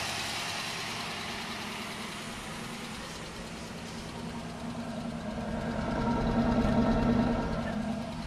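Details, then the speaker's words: Freshly installed 403 V8 swapped into a G-body, very first start after sitting with water in it: fast light ticking over a rough cold idle, rising with revs; collapsed lifters suspected, tick quietening as it runs. "it runs it runs smooth damn this is the first time starting this thing and it runs offw the smooth sounds like a little bit of a lifter tick that should go away"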